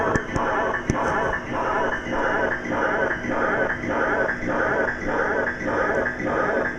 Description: This is a video showing a problem I have with one of my Sega Enduro machines. The sound has gone completely out of control. Could it be the sound board?